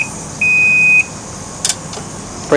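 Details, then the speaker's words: 2012 Can-Am Spyder RS-S SE5 with electroshift, parked on a slope: single high, steady half-second beep warning that the park brake is not engaged; it stops once the foot park brake is locked. "and that beeping noise you can hear is letting me know that the park Brake's not"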